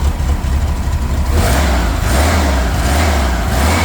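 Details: 1979 VW Super Beetle air-cooled engine, fuel injection converted to EMPI carburetor, original air cleaner refitted: runs evenly with low chuffing beat and smooth gentle rev swells, no misses; healthy and steady.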